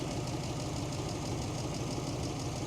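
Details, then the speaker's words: 1941 Ford truck, old engine idling after settling down, with a mechanical fuel pump and no electric pump: a light, quick tapping rides on a rough beat, and a slight miss was suspected earlier. The tap is the mechanical fuel pump, with the lifters only faintly audible. "there she settled right down I'd say it's got a you can hear the lifters a little bit but it's not it's the fuel pump that Taps that's what that is I'm not running an electric fuel pump"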